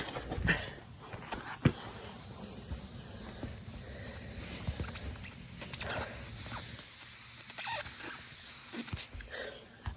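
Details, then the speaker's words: Steady high airy hiss under a few faint knocks, air escaping from a tire punctured by a screw, heard on getting out of the car. "Get out of the car, and hear hissing. I got a friggin' screw in the tire, bro."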